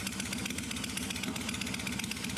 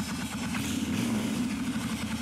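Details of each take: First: Suzuki Intruder 1400 V-twin, carb primed after sitting a very long time, cold start: ragged uneven idle with scattered sharp pops and backfires through the exhaust; cold-start popping and backfire. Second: Suzuki Intruder 1400 carbureted motorcycle, long-stored, cold: steady, quick, even idle held slightly high with the enricher (choke) on; turning the enricher off drops it to a normal steady idle.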